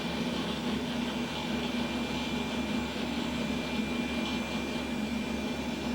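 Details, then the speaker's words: Vintage beige Pentium PC with 220 MB RAM, about 20-plus years old, booting Windows 2000: a steady, loud rushing whir with a faint high whine. The owner suspects the power supply and case fans are in poor shape. "okay so the computer does work but it sounds like you know the power supply is not in great shape and it's got fans in there those aren't in great shape either"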